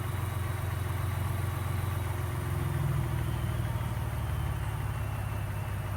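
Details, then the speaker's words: 2018 Ford EcoBoost truck that had a sewing-machine rattle/tick even after cam phaser replacement, now after oil change with Mobil 1 and Prolube oil treatment, 10–15 minutes run; low steady idle rumble, no ticking or rattle, super quiet; normal idle. "I absolutely cannot believe this it is super quiet that is amazing I cannot believe that the rattle is actually"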